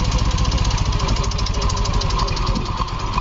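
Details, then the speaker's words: Yamaha Fino 125 scooter engine runs rough and clattery with an uneven rapid rattle, louder as rpm rises. It stalls when the throttle is released and gives no smoke. Noise comes from valve clearance set too tight, not piston or bore wear. "Suaranya parah, semakin digas keras, suaranya semakin keras. Semakin naik RPM, suaranya ikut naik. Suara berisiknya."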